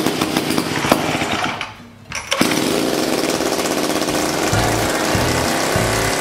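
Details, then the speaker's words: 1956 Eclipse Wasp chainsaw, two-stroke, first start after its carburettor was cleaned and reassembled and the reed block fixed. It catches after a brief lull, then holds a fast, busy buzz instead of settling, so the idle is set too high. "well I got an island way too high let me back that down a little"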